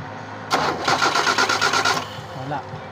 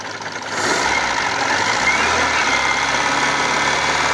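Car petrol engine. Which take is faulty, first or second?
first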